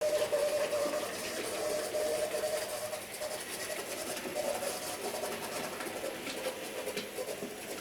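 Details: J36 "Haig" model steam locomotive running with a scratchy, uneven grind and thin motor whine, still present after oiling push rods and tender and greasing the driving cog; grinding from dry motor bearings, fixed by oiling.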